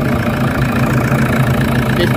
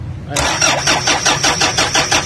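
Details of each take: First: Toyota Fortuner diesel after fuel system fix and charging battery: deep, even idle with steady low rumble, no knocks or misses; slight air reportedly still present. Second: Toyota Fortuner diesel cranking steadily at about three beats a second without firing; air bubbles found in fuel lines, no fuel supply drawn from the tank, vacuum/airlock in the fuel system.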